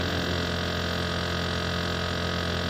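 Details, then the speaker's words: Vacuum furnace with pressure down to about 7.8 millitorr, turbo pump still accelerating at 1000 Hz toward a 1200 or 1500 Hz maximum: a steady, even high whine over a low hum with no rattle or wavering; running normally. "Turbo pump is still accelerating. 1000 hertz. Let's see what's the maximum."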